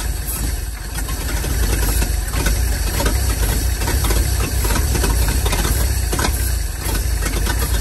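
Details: 1947/1949 International 1-ton flatbed truck, sat about 50–53 years, on used plug wires, fed gas and starting fluid: fires and runs raggedly with uneven lumpy beats and hiss, struggling to stay running; weak ignition coil starving spark.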